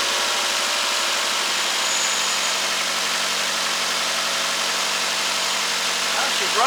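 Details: Nissan Altima (2008 per title) with random multiple misfires P0300, left idling a whole day. Steady, even idle with smooth hiss, no stumbles or misses.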